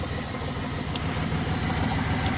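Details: Pontiac G6 with a random cylinder misfire, before Seafoam cleaning: low, uneven, lumpy idle pulse with occasional stumbles; misfiring at idle, cause never found.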